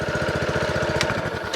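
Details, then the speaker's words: Lawn mower for sale, cold, not run that day, started on choke: quick, even put-put of about twelve firings a second, pulls every time, no chattering, hunting or surging; healthy idle. "pull every time driver works no chattering no hunting no surging idles"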